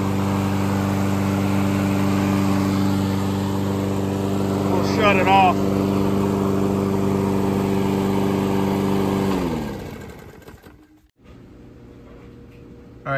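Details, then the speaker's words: New Toro 21462 22-inch Recycler Personal Pace gas mower, tied to stay running: loud, steady drone holding even speed, then winding down when switched off; normal running. "all right so this is what it sounds like I mean it's long more it's loud it's got it tied off so it can stay running while I'm filming"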